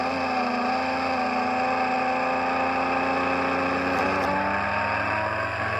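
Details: Homemade machine with rebalanced rotor drum cylinders, motor held on a table on homemade rubber feet: steady, even hum with constant whine, no wobble or knocking, no vibration felt by hand; rotor spins smooth and true.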